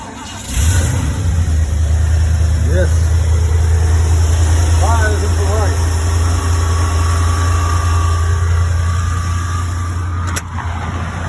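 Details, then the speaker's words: 1975 Ford E100 van, gravity-fed fuel, battery at 12.14 V, alternator suspected not charging; catches within a second and settles into a steady, even low idle, no knocks or misses; engine sounds healthy. "man am I happy to hear that I tell you ma"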